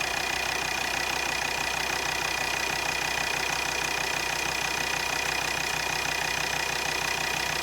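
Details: Volvo XC60 D5 diesel, possibly Euro 4, at idle: sharp regular tick about three per second over the clatter; injectors measured near 0.3 ohm against a roughly 0.4–0.5 minimum, failing injector.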